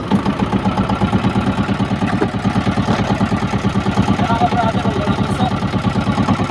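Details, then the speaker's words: Small boat diesel idling, with a PVC exhaust pipe fitted to carry idle smoke outside, which makes it quieter: steady, low, unhurried thump at about three beats a second with no knocks; normal idle. "Ito pagka minor ang makina, hindi naman siya gaanong mainit kasi diesel ang kanyang gamit. Yan, libre na sa usok yan mga ka-brother."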